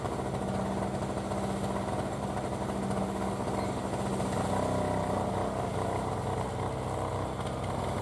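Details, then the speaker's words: 2003 Murray single-stage two-stroke snow blower, first run in 5 years, working through snow: a steady, even-pitched buzz with no misses or surging; healthy two-stroke under load. "so let's try revving it up again and we'll see what kind of torque we have"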